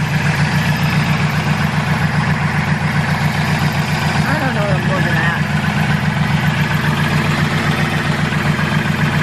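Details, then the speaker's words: Turbo K24 Integra with new 3-inch straight-pipe exhaust, idling on lift after exhaust leaks were fixed (band clamps and manifold not leaking): steady lumpy idle with faint constant whirring from the bellhousing, a failing clutch throwout bearing. "so band clamps are not leaking at all and uh manifold is not leaking at all you can hear my throw up bearing though"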